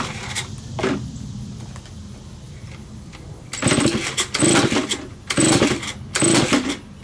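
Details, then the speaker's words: Neglected Stihl BG55 leaf blower, first start after carburetor cleaning, choked: engine surges in uneven bursts about once a second, revving and sagging; runs rough, carburetor out of adjustment. "yeah gonna need adjustment"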